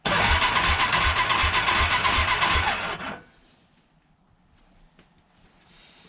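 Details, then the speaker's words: 1987 Big Bear 350 4x4, warm compression test reading only 65–70 psi, runs only on choke: steady soft, even starter churn at about four pulses a second, then stops; low compression from worn, leaking valves. "65 70 PSI compression test what also explains why it has to run on joke have to keep riching it out"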